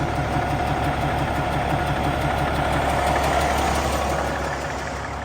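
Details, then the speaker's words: Peterborough roll-off truck, remanufactured Caterpillar C13 fitted a year ago with probably under 50,000 miles, idling with hydraulics/PTO disengaged: light, fairly regular tick about three times a second over the diesel idle; engine ticking, source not yet identified. "so I got to take the H disengage the hydraulic so you can hear the other noise that's making see the Hydraulics are left on PTO control so that was that but you hear the truck is making a ticking"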